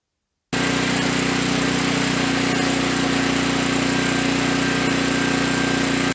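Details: Generator stored about seven years and never started, now running after a quart was added, still very smoky: a steady, even engine drone at constant speed with no stumbles, knocks or hunting. It runs smoothly.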